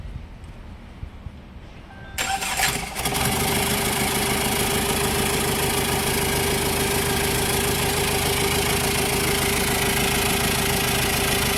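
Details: 2014 Chevrolet Tavera diesel just after engine overhaul; cranks briefly, fires and settles into a steady, even diesel clatter at idle with no misses or knocks; normal healthy start and idle.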